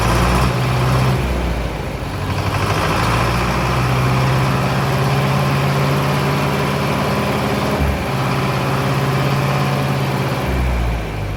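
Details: Mid-1960s John Deere 3020 diesel tractor started after sitting 5 years: a deep, steady idle with an even, unbroken firing rhythm and no knocks or misses.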